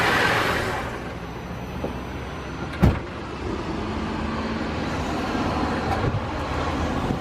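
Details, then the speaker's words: 2005 Holden VZ Crewman, 3.6L Alloytec V6, at startup: uneven, lumpy shaking idle with faint irregular clicking, no engine codes. Misfire traced to a faulty coil pack, later replaced. "but as you can see now it's starting to shake and you can sort of hear it clicking away there. You can see it's running a bit rough, so we'll definitely get that fixed hopefully."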